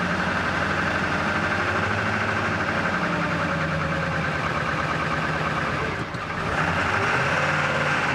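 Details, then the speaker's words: 1999 Ford F-250 7.3L Powerstroke diesel, 26°F morning, after fuel pump and fuel filter replacement: uneven lumpy idle with slight stumble and shaking while air is purged from the fuel system. "run a little rough which might start pretty quick here a little gas it's gonna be rough for a while get that air out of the system shaking a bit"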